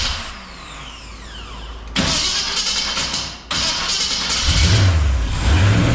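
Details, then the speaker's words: 1966 Chrysler Newport convertible, engine running again after sitting, with diesel mistakenly added to the fuel: it cranks, catches and stumbles with an uneven lumpy beat, smoking, until the diesel burns out. Later retimed, it ran well. "So anyways, now we gotta burn that diesel out of it, get through to the fuel. So I'm sure it's gonna run like crud, which it was, and smoke, which it was."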